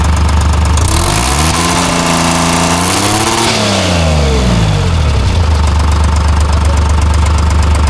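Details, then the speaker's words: Timberjack skidder with a freshly rebuilt Detroit Diesel 3-53 that was missing (owner insisted it only needed the rack set). A gauge at the fuel filter reads about 5 psi, rising only to 10, where about 65 is expected at held rpm. Revs climb then sag: low fuel pressure, a fuel restriction. "It's got like 5 pounds. It goes up to 10 and that's it."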